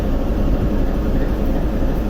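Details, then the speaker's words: TEP70 0237 V16 locomotive diesel at first start after repair, not yet warmed, run 2-3 minutes, compressor off: deep, even rumble with steady low throb, no knocking or clatter, almost no smoke; normal running. "Ну и дыма практически нет после ремонта. Работает как тихо. Красиво."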